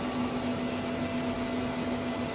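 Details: 12k Growatt low-frequency off-grid inverter running an 18,000 BTU 240 V mini split: steady airy fan rush over a constant low hum as the component-cooling fan kicks on, no rattles or wobble; fan running normally.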